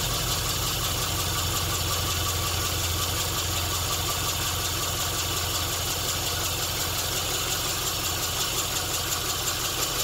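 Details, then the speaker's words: Classic Mini four-cylinder on first start, compression spot on; steady, even, fast regular idle with no stumbles or misses, running like a dream until it runs out of fuel. "But this is the first start. I am buzzing. So yeah, runs like a bloody dream."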